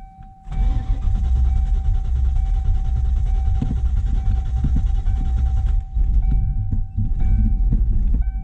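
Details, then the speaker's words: 1995 Ford Mustang GT after replacing ignition switch and lock cylinder, clutch in, neutral: long even starter cranking with steady whir, never firing, then shorter bursts; no start, actual cause failed ignition coil, fixed by swapping coil. "on so close nope that's exactly what it was doing before it would"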